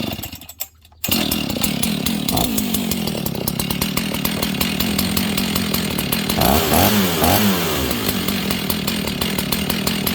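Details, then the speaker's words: Husqvarna 61 chainsaw with a suspected bad clutch: two-stroke starts and settles into a steady, buzzy idle, raised during adjustment to just below where the chain engages; the clutch turned out to be completely worn out. "Listen for the idle coming up, and I'll adjust it so it just idles below where the chain wants to engage."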